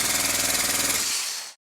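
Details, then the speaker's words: Model four-stroke glow engine after a new piston ring, turned by an electric starter without fuel or carburetor: even rapid compression pulses about twenty a second, winding down cleanly; normal cranking compression, sounds much better than before. "that sounds and feels a whole lot better I'll spin it a bit more to bed things in it really does sound so much better"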